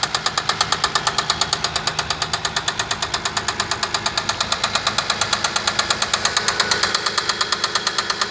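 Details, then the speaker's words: Toyota Kluger 1MZ engine, knocked within 100 km after an oil change: sharp, even metallic knock about two per second over the idle with a steady beat; serious internal engine knock. "Стук двигателя 1 МЗ. Смотрите, парни, что берете. После замены масла, не проехал 100 километров, стуканул."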